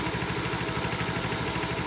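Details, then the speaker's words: Honda Beat Street ESP scooter that clicked at the starter relay; after cleaning the rusty, loose relay contacts and checking the coil, it starts right away and settles into an even, steady low idle with no misses or knocks. "Oke sekarang kita hidupkan Oke motor langsung hidup Guys oke ya motornya langsung sudah hidup"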